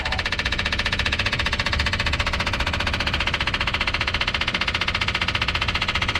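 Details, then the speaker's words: '57 Chevy electric fuel pump, key on with the engine off, after running out of gas and adding about five gallons: loud, fast, steady clacking at about four per second that never quiets. A plugged fuel line is suspected, and the line was found dry. Fuel starvation. "let's listen to the fuel pump we put about five more gallons in it and it is not changing it's like it's not getting any fuel that should that clack and clacking should quiet way down when it gets fuel in"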